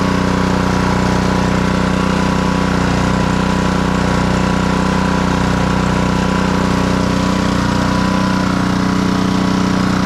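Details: Black Max pressure washer with Honda GCV160 engine after repair of a crank-no-start and throttle adjustment, running with hose connected: steady even beat with firm low drone, no misses or surging; fully operational.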